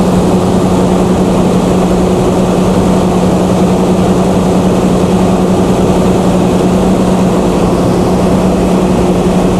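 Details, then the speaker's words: Chrysler Slant 6 generator converted to Holley Sniper EFI with a new governor controller, first load test: steady, even drone holds pitch as a 3 kW load comes on; governor keeps speed, runs smoothly. "all right let's put that three kilowatt on I can definitely hear it let's try something heavier like six kilowatt"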